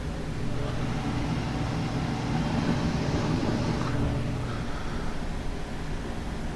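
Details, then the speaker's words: Newly installed Mr. Heater Big Maxx 50,000 BTU shop unit heater, heard right up close to the unit: soft even blower hum, steady low tone, no rattles or squeals; blower running quietly and normally. "that's how loud it is when you're up close not very loud I'm I'm shocked at how quiet it is"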